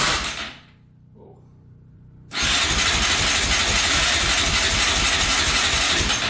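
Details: 2004 Yamaha Raptor 660 quad in rough condition, fresh oil, gas poured down the carburetor: short whir, pause, then long steady fast cranking that never fires; crank no-start.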